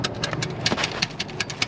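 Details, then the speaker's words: High-mileage VW MK5 Golf GTI with no-boost issue, downpipe removed, engine off: loose irregular metallic clicks and rattles from wastegate flapper not held shut by snapped stock actuator, to be replaced with Forge 11 psi actuator. "that's the penny valve and one of my subscribers calling he mentioned it he was right have a listen Penny valve is loose it's not being squeezed tight by the actuator because that actuator is rubbish"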